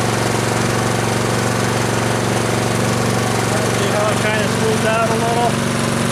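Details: Troy-Bilt Storm 2840 electric-start snow blower, just started with choke, primed three times, warming up with throttle raised: steady, even single-cylinder chug at high throttle with no misses or knocks; running healthy.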